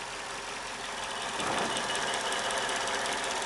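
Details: 2005 Mercedes W211 E55 AMG at idle: a light, fairly regular tapping of about three per second (owner's "t-t-t-tck") rides over the engine. It is clearer with slight throttle and heard loudest near the left wheel; a knock of unknown origin.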